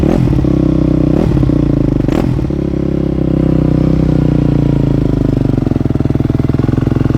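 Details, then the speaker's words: Rebuilt 2008 Yamaha YZ250F four-stroke single, first start after warming, choke off: idle with a steady rattly clatter over the firing beat; something's not right, suspected top-end mechanical noise, source unconfirmed. "you hear that yeah well we got the bike started did you hear that noise we did something's not right"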